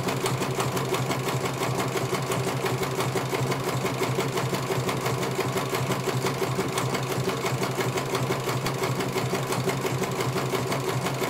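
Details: CNY computer embroidery machine in for service; at first its motor (dinamo) would not turn at all and the bobbin case was missing. Even, quick stitching clatter near three beats a second over a steady motor hum as it finishes one colour; normal running, judged very good.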